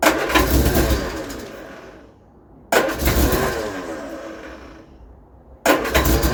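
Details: Vauxhall Viva HC with a rebuilt carburetor and choke pulled, suffering a mysterious starting issue: three separate bursts of steady starter cranking, roughly three turns a second, each fading with no firing. It cranks but won't start.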